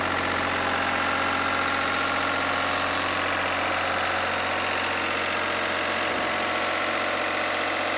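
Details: Lister #2 diesel generator just after fuel system plumbing from a former 20-gallon dry-sump oil tank, run to check for leaks (none, no drips): steady, even thumping about three beats a second, no misses or knocks; smooth, healthy idle.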